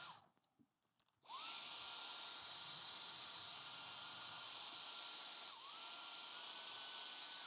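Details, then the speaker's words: Dyson cordless stick vacuum (described as V7 or DC35 Digital Slim) whose brush roll cuts out: high motor whine holds steady, then sags and recovers as the head drops out; loose wand or elbow connection or a short suspected. "so we want to see if there might be a short there so we'll turn it on and give that another try"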